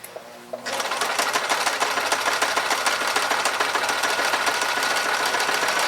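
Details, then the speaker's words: Secondhand Goodwill sewing machine after cleaning, new foot pedal, not yet oiled: quick steady needle clatter at an even pace with no knocks or binding; sews normally with a good straight stitch despite an earlier noise owner disliked. "So it runs, and it's actually a pretty good stitch."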